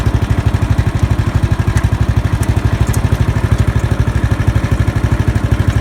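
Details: Murray riding lawn mower after starter solenoid replacement: small single-cylinder engine idling at steady even thump about three beats a second, no misses or knocks; normal.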